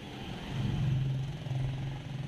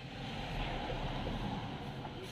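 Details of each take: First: Hard morning cold start on a Mitsubishi Adventure 4D56 diesel: low, labored drone surges unevenly as the engine struggles to catch; glow plug test found failed plugs, replaced with new glow plugs. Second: Mitsubishi Adventure 4D56 diesel after replacing failed glow plugs that caused hard morning starts: a short crank, the engine catches and settles into an even, steady diesel clatter at idle with no misses; runs healthy.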